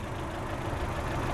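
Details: 2008 Saturn Astra XE (Opel/Vauxhall-built) 4-cylinder, engine at idle: steady low idle with light diesel-like clatter on top, even running without misfire; a normal, slightly clattery four-cylinder.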